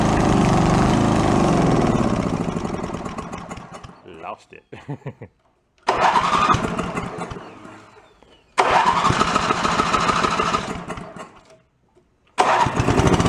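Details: Toro 1132 snowblower pulled from a bulk-cleanup junk pile, running at full throttle: small single-cylinder engine fires and runs up to a steady, even high-speed drone with no knocks or misses; sounds healthy.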